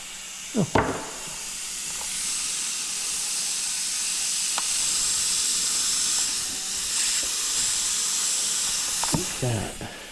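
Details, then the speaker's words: Kenworth K100E cabover, air bags aired up for first time in a long time from shop compressor: steady high hiss of escaping air under the truck between clanks; air leaks. "okay so the bags have aired up for the first time in a long time we have some air leaks there down"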